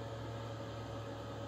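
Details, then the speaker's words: Externally mounted under-chassis Eberspächer/Webasto-type parking heater, about 2500 W, fully warm, hot air; about 1 m away. Steady low hum with constant fan tone and soft hiss, no surging or rattles; normal running. "Donc là c'est le bruit quand je suis à 1 mètre en gros."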